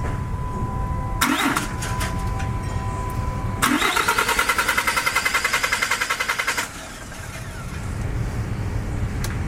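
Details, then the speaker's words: 2007 Dodge Ram 3500 turbo Cummins diesel, 6-speed manual, after fuel filter change for black smoke/no power: two long bursts of steady cranking, about three to four turns a second, not catching while fuel primes back through system. "Gotta get the fuel back in the thing. He has to do it to get the fuel back into the system. That was kind of freaking me out."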